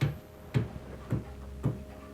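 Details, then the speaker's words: Small stepper motor on a mini mill Z-axis CNC conversion, 2.8 A motor, driver set to 1600 microsteps, running at about 12 V: quiet regular clicks about twice a second over a faint steady hum; indexing evenly, works fine. "what was that noise yeah it works at 12 volts"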